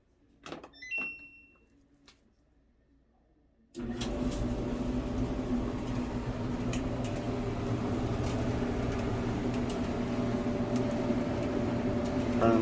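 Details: Samsung dryer after drive motor replacement (it previously only hummed), first start with the top off: a quiet click, then the drum settles into a steady, even rumble with no squeal or thumping; motor running normally.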